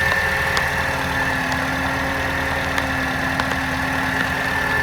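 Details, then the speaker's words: Mercedes C180 Kompressor W203, M271 supercharged engine, first start after head gasket replacement, in engine bay, coolant low: even idle with steady whine and faint irregular ticks; sounds not great, owner suspects possible exhaust leak. "I have no idea what this thing sounded like in the engine bay before I did the job. So hopefully it's supposed to sound like that, which in my eyes isn't great."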